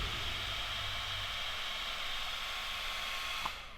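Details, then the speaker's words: Nitro RC car cooling fan, after spraying switch cleaner: even, airy whir holds steady over three seconds, then winds down cleanly; fan now spins fully and turns off normally. "Oh, that sounds a lot better. And it actually spins and turns off now."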